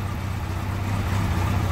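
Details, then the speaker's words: Kawasaki KZ1100 shaft-drive motorcycle, just finished after restoration, cold, choke pushed in, idling just under 500 rpm (about 1500 rpm with choke out): a low, even rumble with no knocks or misses; normal cold idle. "we'll push the choke in and it's ticking over quite smoothly round about just under 500 it's quite cold at the moment so obviously"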